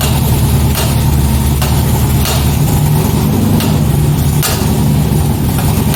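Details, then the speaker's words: 2005 Corvette C6 Z51, idling after a backfire while driving, on an engine already in poor condition: a rough V8 idle with heavy low thuds about every second over the exhaust. A pretty bad rod knock. "so if you couldn't tell there if the audio wasn't good enough it's a pretty bad rod knock"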